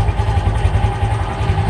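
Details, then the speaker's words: Fury 125 New Breed motorcycle that stalled and bogged under throttle, just after the fix and started with one click: a steady, fairly high idle with an even low pulse and no misses, a normal idle. "Ang layo na, diba? Mas mataas na yung minor niya."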